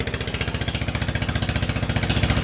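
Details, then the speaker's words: Onan 3.0 DJA single-cylinder diesel generator, no muffler, under load, decompression solenoid bypassed: crisp evenly spaced exhaust beats about fifteen a second, rock steady, no misses or knocks; normal running under load. "you could hear that DJ running the noises are extremely offensive which is good"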